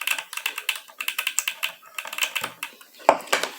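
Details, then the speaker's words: Regular fuel injector used for HHO hydrogen injection, bench-pulsed with hose disconnected after being freed from sticking due to overheating: crisp ticks a few times a second show the plunger moving freely; a stuck injector makes no click. "Então esse bico ele tá solto aparentemente ele tá solto tá ele não tá mais travado mas esse barulhinho tá fazendo movimento quando ele tá travado ele não faz esse barulhinho"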